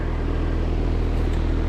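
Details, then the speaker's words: Trane XV heat pump outdoor unit during control fan test, homeowner complained of whining; steady, even fan hum, low constant drone, no whine or rattle; normal condenser fan operation. "control fan test see what it sounds like that's normal so that's what it should sound"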